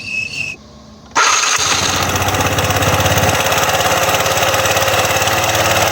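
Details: Yamaha Cygnus (勁戰) scooter after re-tightening the loose crankshaft nut on the clutch/variator pulley that had caused sharp metal grinding: starts after short crank and settles into steady, even idle with no rattle or clatter.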